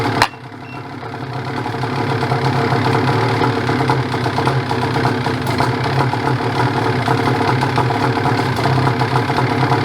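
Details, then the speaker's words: Ski-Doo 850 turbo-modified snowmobile in extreme cold, smoky after warm-up: lumpy, uneven idle with stumbling beats; owner suspects a broken reed, possibly the piston, compression check pending. "sounds like great so i think it's a read we got to do compression check though it might be a piston"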